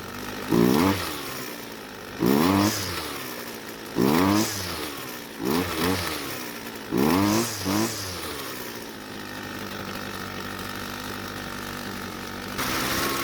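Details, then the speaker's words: Red string trimmer, warm, after the old fuel was replaced with fresh: short throttle blips about every two seconds, then it sags into a rough, uneven idle; the low-speed carburetor mixture is too rich. "hmm after replacing the old fuel with some fresh fuel it was running a whole lot better but when it got warm it still didn't want to idle so we'll have to make some changes to take care of that"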